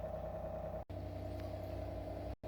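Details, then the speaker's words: Microcontroller-controlled RO water purifier: after a start-up beep and an 18-second automatic flush, it enters normal purify mode with a low, steady pump hum and fine even pulsing, no knocks or strain. The pump is working normally. "จะมีเสียงเตือนหลังเปิดเครื่องจากนั้นเครื่องก็จะเข้าสู่ระบบออโตฟลัน้ำทิ้งเป็นเวลา18วินาทีแล้วเครื่องก็จะเข้าสู่โหมดของการกรองน้ำปกติหรือpurify"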